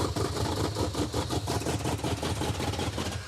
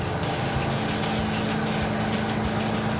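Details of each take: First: Wow. This thing runs awful. It runs even worse than when it wasn't running at all. It's because it's glugging fuel is why. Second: Roadkill Super Camaro V8 driven after a carburetor change: steady, even drone under road noise with no stumbling or popping. No longer lean-misfiring, quieter, not faster. Normal running.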